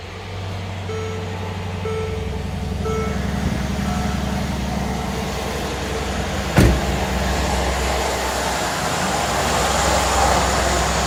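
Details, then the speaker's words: 2013 Mercedes GL550 (X166) after replacing the AIRMATIC air compressor and valve distribution block to fix a loud front-right buzzing: the compressor starts and settles into an even, quiet low hum with no buzzing or rattle. "okay it's definitely operating and it's absolutely not [Music] noisy you might be able to hear that air compressor noise so that was it it was the air compressor"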